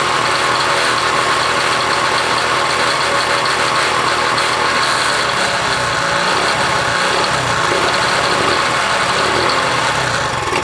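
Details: 1966 Honda CL90 (owner unsure of year), rebuilt top end, idling after debris was cleaned off the ignition points: small single buzzes at a steady, even idle, no misses or stumbles; ignition firing cleanly, wants to run good.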